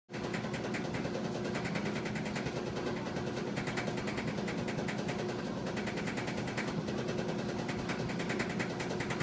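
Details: 1987 GE DDE7500GALWH dryer bought used, before repair: it clanks and rattles steadily while running from a worn idler pulley, belt and drum slides. Replacing them removed the noise.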